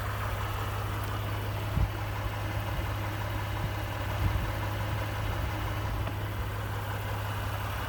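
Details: 29K-mile 2018 Ford F-150, 2nd-gen 3.5 EcoBoost V6, at idle: faint irregular tapping over the low hum. The owner cranks longer to prevent cam phaser startup rattle. Engine knocking at idle, cause not confirmed.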